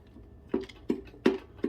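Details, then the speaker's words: 2006 Kawasaki ZX10R engine, plugs out and crank held still, piston rocked with an extension and screwdriver: four dull metallic clunks showing about 1/8 inch of play; that cylinder's rod bearings are worn, likely both. "and you probably hear it too but that is uh that is our bad one so far"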